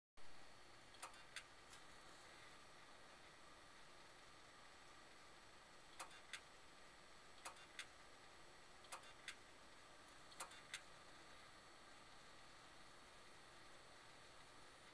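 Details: HP Pavilion desktop: sharp irregular clicks, often in close pairs, over steady fan hum, only after waking from sleep, intermittent for 3–5 minutes; once followed by a blue screen; owner suspects hard drive. Cause suspected, not confirmed.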